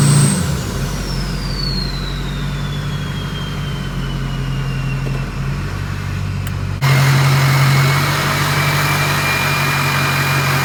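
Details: 6.0 Powerstroke diesel in a race truck build, first start-up with an upgraded 6.4 starter and a 6-inch stack, after a cam/crank sync problem was fixed: a deep, steady drone held around 1500 rpm with no knock or miss; healthy.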